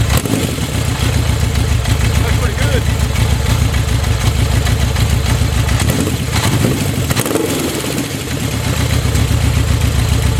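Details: Honda CB 750 running again, with carbs fed from an IV bottle for tuning and no carb leaks: a steady, even four-cylinder burble holds a constant idle with no misses or knocks, running normally.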